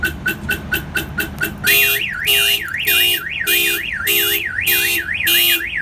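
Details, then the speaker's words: 2001 Toyota Camry with a Viper 5806V one-mile two-way remote start alarm, set off on purpose: rapid chirps, then a loud two-tone siren sweeping up and down, drowning out the remote's beeping. Car alarm siren sounding. "this alarm is extremely loud so you weren't able to hear the remote beeping but you were able to see the flashing light so it flashes the lights and it beeps at you to let you know that the alarm system was tripped"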